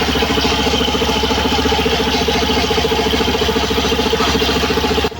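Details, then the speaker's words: Suzuki Burgman Street EX 125 with the stock CVT belt, idling: a scratchy rhythmic scrape at about three to four a second that stops abruptly. Once blamed on the torque drive bearing ring, it turned out to be the worn belt. "Narinig niyo yung kakaibang tunog na kumakaskas. Yan ang inakala ko dati na nasa torque drive bearing ring ang problema. Yun pala ay nasa belt lang."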